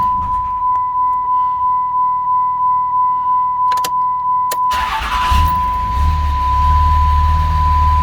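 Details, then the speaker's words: 2006 Dodge Ram 2500 Cummins 5.9 diesel, 225,000 miles, after an AFC fuel controller replacement for hard starting and stalling: chime, prompt crank and fire, then a steady diesel idle near 700 rpm (750 before). Normal start. "and whoa, and she went right up to 700. A little bit lower than before, but that's well within range."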